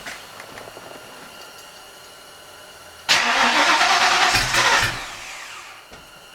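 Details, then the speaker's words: 1986 Ford Mustang GT, before a fuel pump replacement: the engine cranks, catches and runs about two seconds, then dies. The fuel pump doesn't run or prime at key-on, so the engine starves once residual fuel pressure is gone. "let's open the garage door start it into the engine dies well crap"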